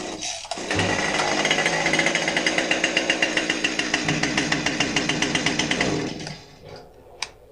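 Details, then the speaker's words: Husqvarna 550XP chainsaw that starts but won't keep running: two-stroke runs with ragged, uneven pulse, then bogs, sags and quits. "Customer complaint is that it might start, but it doesn't keep running. It'll bog out."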